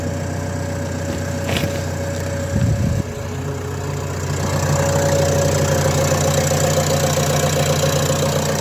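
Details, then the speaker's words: Renault Trafic 2 phase 2, 2.0 dCi M9R 780 diesel, cold start after replacing a failed PCV valve (fault: lack of power, high fuel use): cranks, catches, and settles into steady, even idle clatter, no misfire or hunting; runs much better. "Voilà, donc ça tourne beaucoup mieux. En tout cas, c'est une sensation, on verra sur la route."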